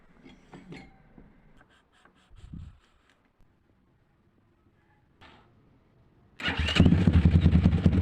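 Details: 172FMM single-cylinder engine after rebuild for a knock with new crankshaft, piston and cylinder: a few taps, then it fires and settles into an even steady idle with no knock; normal running.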